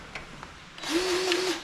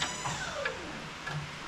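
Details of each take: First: Grease gun on a Wood-Mizer LT35 sawmill (25 hp Kohler Commander) during 50-hour service, after clearing a burr from a fine-threaded fitting hole and refitting it: short, even motor whir, steady pitch; the fitting now takes grease freely. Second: Grease gun greasing a fitting on a Wood-Mizer LT35 sawmill (25 hp Kohler Commander) during 50-hour service: short bursts of motor whir stopping and restarting; the fitting is bad and won't take grease.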